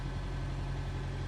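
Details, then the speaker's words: Manual car engine held steady with a low hum, no shudder or dip, with the clutch at the correct biting point. "Okay, that's biting point one. Love that one."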